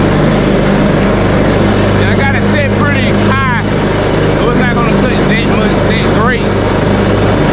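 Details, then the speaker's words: Craftsman T130 riding mower after repairs, blades engaged while mowing: even, unbroken engine hum at constant speed with some chirping, no stumbles or knocks, pulling the deck fine. "now I'm going to do a little cutting with it just to show that everything is working properly"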